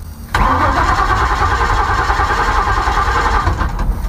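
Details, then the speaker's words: Ford Maverick converted to EFI with junkyard parts: starter spins the engine steadily for about three seconds but it never catches; injectors firing, no fuel pump hum heard, no fuel arriving. "It ain't getting no fuel. I dang sure know that."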